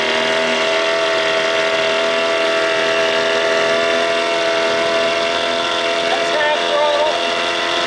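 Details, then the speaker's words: 1987 Johnson 6 hp outboard on the water after carburetor swapped to fix bogging; steady, even buzzing hum with constant pitch, no surging or stumbling; running cleanly. "not bad for this boat and that motor put some Motors like this in the water should have leveled it out"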